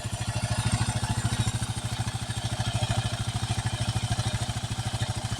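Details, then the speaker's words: 2008 Kawasaki KLR 650 at 19,000 miles, warm idle: steady light top-end ticking over the single's thump; owner suspects loose valve clearances or the balancer, balancer already adjusted, source not confirmed. "They're kind of loose in the top end."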